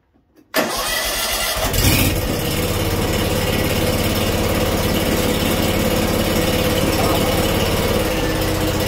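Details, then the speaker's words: Scag Freedom Z mower with Kawasaki FH580V engine after carburetor replacement and reconnecting a forgotten wire: catches after a brief crank, then a slow, even idle with steady thrum and no misses; previous rough idle fixed. "Nice slow idle. Okay, I think we'll call that successful."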